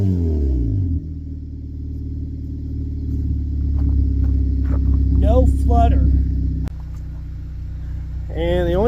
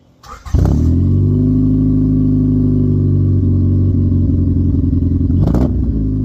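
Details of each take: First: Honda with previous stutter, after injector work: revs up and settles smoothly with steady even note, no flutter or stumble. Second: Honda with a lingering stutter, spark plugs, injectors and distributor already addressed, heard from the exhaust: steady drone after revs with uneven flutter at low rpm smoothing higher up; owner suspects fuel injectors or fuel filter.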